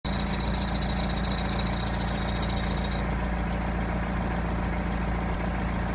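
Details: BMW E90 320d diesel at idle: a thin high whistle riding over the engine for the first few seconds, then fading; serpentine accessory belt squeal.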